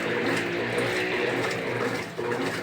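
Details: 2014 Brastemp Clean 8 kg top-load washer after refurbishment with new pump, turbo agitation: quick even churning and water sloshing with a smooth motor drone, no knocks or grinding; healthy fast agitation.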